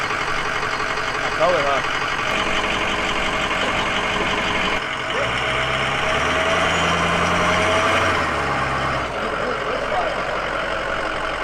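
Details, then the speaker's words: Ford 6.0 Powerstroke diesel in a flip truck after an engine swap: a steady, even diesel clatter at idle with no misses, knocks or surging and no check engine lights. The engine sounds solid and runs well. "but otherwise engine seems solid runs good it idles smooth there's no check engine lights"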